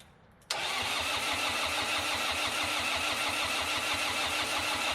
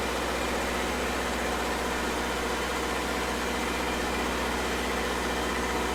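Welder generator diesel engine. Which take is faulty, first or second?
first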